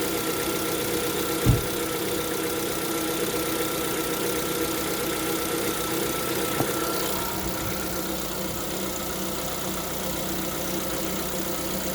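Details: Lada Vesta at 11,000 km, cold idle: faint, even knock within the steady engine note, described as piston knock when cold; knock at cold start, cause not confirmed.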